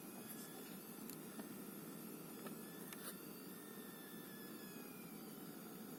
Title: ASUS Dual RTX 2060 SUPER EVO OC Coil Whine Писк Свист Дросселей